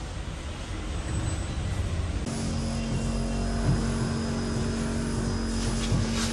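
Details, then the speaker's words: New Ola S1 Air electric scooter: steady low droning hum from the motor underneath, scooter lurching and creeping on its own without throttle; abnormal motor noise, cause unclear. "Motor देखना कैसी आवाज कर रही है नीचे से बहुत आवाज चल नहीं रही फिर भी स्पीड दि एक की स्पीड प आ रही है"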